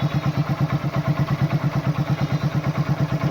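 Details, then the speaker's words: Old Hero Honda Super Splendor after oil change with 20W-40: low even thump at about three beats a second, no ticking or rattle, no extra sound; smooth quiet normal idle. "অকণো extra sound নাই। একদম smooth, silent, টেপি থোৱা আৱাজ নাই।"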